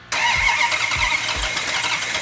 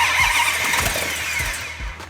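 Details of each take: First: 1971 Hemi Cuda on first fire-up, with fuel in the carburettors and oil pressure confirmed, catches after a few cranking pulses into a lumpy, uneven idle; timing likely needs advancing. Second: 1971 Hemi Cuda V8 with carburetors fired up after a systems check with fuel in the carbs and oil pressure: cranking catches quickly into strong even firing with no misses or knocks; healthy first start.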